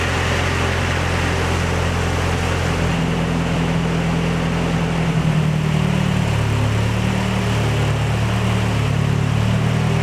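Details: Nissan 240SX S14 with a freshly installed KA24DE, Honda coil packs and ECU Master, oil primed by cranking, now idling steadily and evenly with a constant low drone and no knocks or misses; normal, healthy idle.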